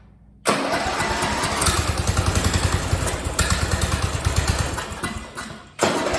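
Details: Free Craftsman lawn tractor (part 917.273760) single-cylinder engine with loose pulley bolt and loose exhaust; catches and runs with an uneven, lumpy beat, sagging and nearly dying, like a hit-and-miss engine. Rough running.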